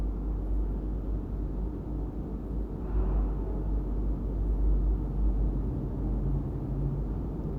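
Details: Royal Enfield Hunter 350 after tappet (valve clearance) adjustment with feeler gauge and service kit: low, soft thumping idle with no sharp ticking over the rumble; tappets adjusted for the customer's noise complaint and the engine sounds healthy.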